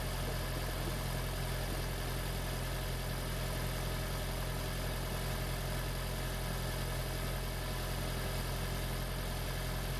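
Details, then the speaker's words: Freshly swapped 2016 4th-gen engine in a 2012 Prius V, just after first start, running in maintenance mode on jack stands before coolant air purge: a smooth, even low idle with a steady drone and no ticks, knocks or misfires; a normal idle. "here's my new engine running in my gravy five it's all done it's all hooked up it's running in maintenance mode"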